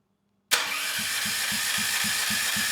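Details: Rebuilt Champion 458cc dual-fuel generator engine (original dropped a valve at about a year old, damaging piston, rod and head), starter solenoid triggered by hand from battery: starter engages cleanly, turns engine briskly at about four even compression pulses a second.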